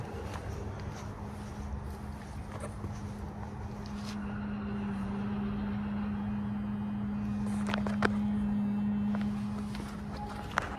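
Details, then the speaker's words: 2022 Mazda CX-5 at 12,000 miles, parked with headlights on: steady low hum at one even pitch that stops when the lights go off; taken in for warranty. "I can hear a buzz. It's like more of a hum, like, and, yeah, if I turn the lights off, the hum goes away."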